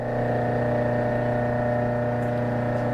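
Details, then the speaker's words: Hobart 5701D meat/bone band saw, three-phase 208 V, fed by a rotary phase converter: steady even electrical hum and low buzzing drone, no knocks or rattles; phase converter running normally. "it is three-phase 208 volt so we have it plugged into our three phase converter back there you're going to hear that humming in a minute"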